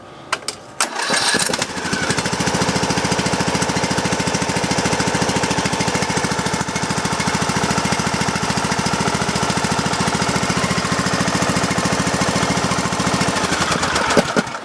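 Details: Craftsman LT2000 riding mower single-cylinder engine, started on jumper pack with low battery after sitting two weeks, fuel pump fitted: catches, then even rapid thumping with tinny exhaust bark; running smoothly and healthy.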